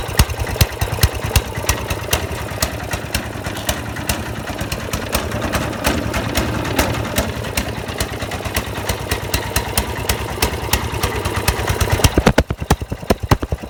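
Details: Snowblower small petrol engine running with rapid, steady popping, uneven ticking and a stumble near the end: misfiring.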